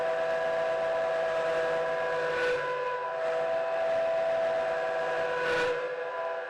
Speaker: well a fair test I think it's grumbling a little bit but I kind of expected that most of the noise is coming from the base and you can hear you know the whole thing rings so there's a bit of work required with the base